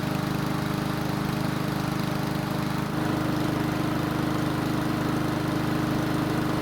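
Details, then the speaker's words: Ariens mower engine that wouldn't start when hot, after carburetor work, running about 10 minutes to full temperature: steady, even single-cylinder hum with no stumbles or surging; it later restarted hot, though not gracefully. "So it's been running for about 10 minutes and it should be at full temperature."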